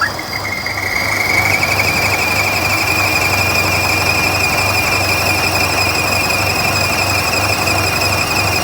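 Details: 2014 Buick Encore 1.4L turbo, over 200k, running rough with a P0171 lean code. High steady squeal over a rough, uneven idle from about 5 inches of crankcase vacuum, air sucked past the crank seals. Fix: replace the valve cover assembly with its PCV diaphragm.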